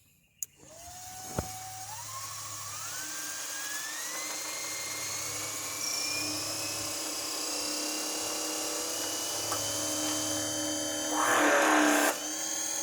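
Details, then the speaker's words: Electric pressure washer on converted lawn tractor, switched on via controller: whine climbs in steps to steady high pitch, then hums under load as pump pressurizes; healthy motor spool-up. "You're going to hear it sort of spool up, and then it's going to have a load on it, and I guess that's the pump energizing or pressurizing or something like that."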